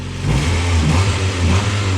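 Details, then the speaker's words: Mazda Miata revived from sitting, running on fresh 93 fuel via jump pack, no lifter tick: engine revs up and holds a steady, even, clean drone with no knocks or misses; normal running, though a heater core hose leaks coolant. "but I mean this thing is running like a food champ"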